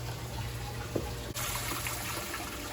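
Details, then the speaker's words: 1984 Ranger 395V bass boat: the rear livewell pump of a newly installed Flow Rite livewell system, with new hoses, tested from the control panel. Steady low pump hum with water rushing evenly and no sputter or gurgle. Normal flow. "know we've got water flowing through the pump and through the valve, and since I just installed new hoses and all those connections on there, and also screwed the pump in there to the bottom of that valve"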